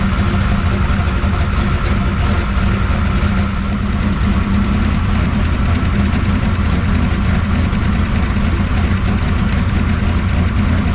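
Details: 1969 pro street Camaro V8 with freshly rebuilt Holley carburetor, idling after ignition timing check: deep, even rumble holding steady with no misses, ticks or knocks; a healthy, settled idle.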